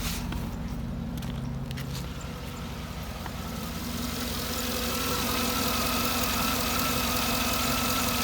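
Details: 2009 Cadillac Escalade V8 after replacing O2 sensor and burnt spark plugs: steady, even idle with a soft hum, no stumble or missing beat, sounding healthier. Normal idle.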